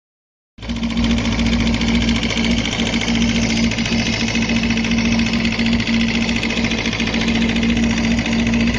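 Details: Suzuki Bandit 250 (first generation) four-cylinder at idle: sharp regular knock about three to four times a second; teardown found a spun connecting rod bearing on cylinder 3 and a ruined crankshaft, rod knock.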